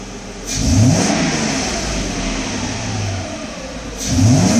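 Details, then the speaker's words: Mercedes test car with the customer's mass airflow sensor swapped in, sensor not tightened so slight air leaks: two quick throttle blips climb smoothly and return to steady idle, no stumble or hesitation; runs fine. "sounds good runs good this is at the condition that throttle body I mean jeez the mass airflow sensor is not even tightened up so there's slight leaks around it but this still runs perfectly fine"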